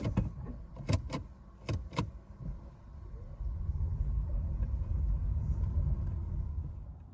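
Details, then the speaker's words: 2018 Nissan Leaf after re-torquing the front axle nuts to 147.5 (clicking had come on brake-then-accelerate, especially with e-Pedal engaged/disengaged): after a few handling knocks, smooth road rumble while rolling, no clicking from the front axle anymore. "the test drive shows no clicking sound anymore"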